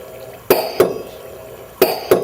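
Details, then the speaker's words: LM10 microfluidizer started from the touch-screen PLC at a 10,000 psi set pressure. Sharp paired clicks repeat at a steady pace over a quiet hiss, the pump stroking evenly. Normal running. "we hit the start button and the Machine operates we can walk through screens again now that the LM 10 is running"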